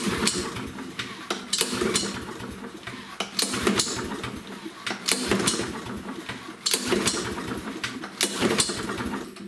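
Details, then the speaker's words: Husqvarna lawnmower with Briggs & Stratton engine and auto choke: repeated recoil pulls, each a short whirring rasp with scattered pops, never catching; it will not start on its own, the auto choke being the problem. "You can see that it will not start on its own. It does have an auto choke, and that's the problem."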